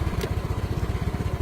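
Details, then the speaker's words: Yamaha Mio M3 scooter after fixing a stuck starter relay by tapping it: small single-cylinder engine idling with quick, even low pulses and no misses, stays running after the jumper is removed; normal idle. "Nah, dia hidup. Ketika dicabut pun sudah hidup, dia."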